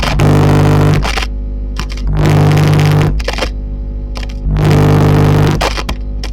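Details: Hiwatt PA100 6-channel 100-watt tube PA amp: low hum and buzz swelling into heavy hiss as channel volume rises; fault suspected downstream of the channels, not confirmed.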